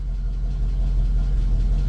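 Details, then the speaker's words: 1968 Ford Mustang just revived after about 20 years parked, running off the proper ignition: deep, even burble holding steady with no ticks or stumbles; normal idle. "oh she's even running off the freaking proper ignition woohoo baby"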